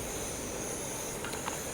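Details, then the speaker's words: Liquid-fuel backpacking stove in winter camp after preheating/priming: steady, even hiss-roar, no sputtering or pulsing, boiling water; burner running clean. "All right, you start to hear it. Once you start to hear it, it'll start hissing. There we go."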